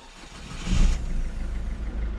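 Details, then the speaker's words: 1.6 HDi diesel whose starter fuse trips on every start: short clean crank catching quickly into an even idle; starter sounds normal, though the end-of-camshaft injection pump is leaking. "non ça va c'est le bruit normal d'tis Bou pompe à injection qui fuit"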